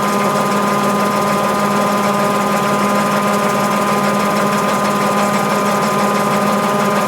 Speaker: entonces la lavadora tiene las condiciones necesarias para comenzar a centrifugar así como lo estamos viendo en la reproducción del vídeo